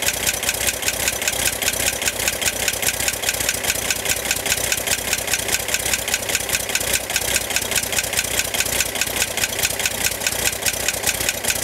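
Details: 1965 Corvair air-cooled six at idle: fast, even ticking over steady idle, started 2-3 weeks ago and getting louder; seems to come from top of engine near fan; tightening fan belt reduced it only slightly; cause not pinned down.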